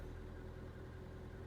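Low, even idle with a smooth steady rumble and no knocks or ticks; the engine sounds healthy.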